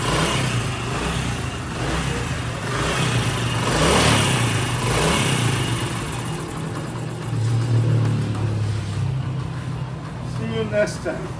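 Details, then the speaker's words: Honda CD70 single-cylinder motorcycle after a tappet adjustment; a steady beat of about four pulses a second rises and falls evenly with throttle, with no top-end ticking. Running healthy. "इसके टैपट करने से इसका sound accurate हो गया।"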